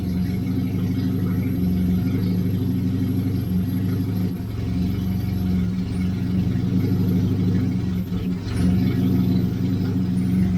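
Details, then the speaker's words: 1989 Austin Mini Designer, 998cc A-series engine, after about three years unused, fuel poured down carburettor: low steady idle rumble sagging briefly now and then; mild stumble at idle, likely fuelling, no fuel leaks seen. "check I've got no fuel leaks is it going to stay running I think it [Music] is stumbling a little"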